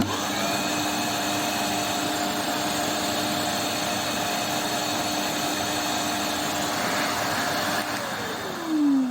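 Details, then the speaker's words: Arnika vacuum cleaner, 3–4 years old, after replacing the motor bearings that caused crackling and a burning smell. Steady, even high motor whine with no rattle or grinding, then a smooth spin-down. Normal motor run. "Evet arkadaşlar süpürgem düzeldi süpürgem eki Bily arızasını bu şekilde gidermiş oluyoruz arkadaşlar"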